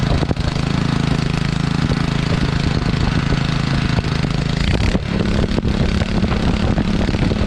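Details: Sterling Honda-clone 6.5 hp engine on 3-inch trash pump, previously seized, primed and started on choke: small single-cylinder settles into a steady, even idle with low smooth beat, no misses or knocks; healthy.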